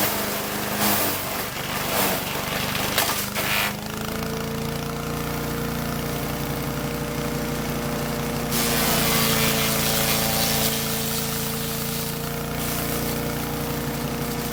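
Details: Troy-Bilt chipper shredder model 24A-414B711 test run after new carburetor fuel line fitting, oil change, new tires and oiled recoil: steady engine drone holds speed while dry sumac branches crackle and snap through the cutter; normal running under load.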